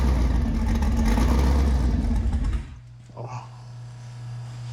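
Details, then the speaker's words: Sandrail V8 after engine swap, first runs after crossed wires were corrected, untuned; loud lumpy rumble sags into low unsteady idle, pulling air through a major vacuum leak. "Oh, we've got a major vacuum leak, too."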